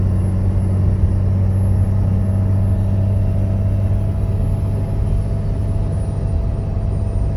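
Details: Loud steady low moan from the front of the engine compartment at low rpm and light throttle, no knocks; idler pulley, belt tensioner and belt already replaced; also loud fan at startup, occasional power loss; owner suspects fan clutch.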